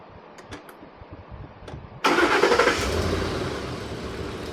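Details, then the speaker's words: Ford just fitted with a new battery: quiet ticking, then a quick strong crank that catches at once into a steady idle, no slow cranking; healthy starting system. "So what we're listening for there is you want to listen for a really strong start, really strong crank. If it cranks over really slow or there's some other issues going on, then maybe those will have to be determined."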